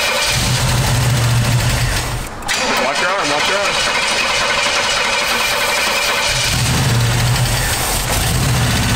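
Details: Camaro engine with rough, uneven idle and loud irregular clattering from the top end; valve cover pulled revealed bent pushrods, which should be straight, causing the racket.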